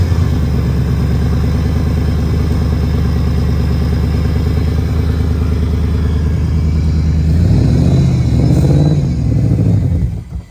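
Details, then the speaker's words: 5.4L Lightning-swapped Mustang after many burnouts, plugs not yet checked. The idle is lumpy and uneven with a loping beat and chuffing. The owner suspects it is down a cylinder or two and hears exhaust leaks. "sounds like she she might be down a cylinder maybe well or two I don't know it definitely got an exhaust leak yeah it's got exhaust leaks"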